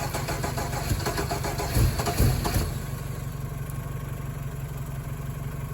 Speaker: That was a hell of a backfire.